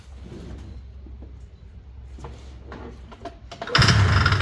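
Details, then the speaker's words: Ski-Doo 377 snowmobile found sitting in a field, first pull-start attempt after cleanup, before fuel system work: quiet pulling then one short loud burst, fires under a second and dies; brief firing, not running. "Oh yeah, did you hear it fire? Yeah, she fired for a second there."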